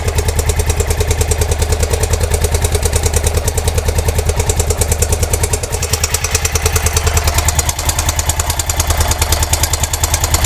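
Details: Honda Dominator NX650 motorcycle, 1999, 45,000 km: loud, sharp clacking at about three per second over a steady idle, an even mechanical clatter of unknown cause; bad engine clacking, owner doesn't know why.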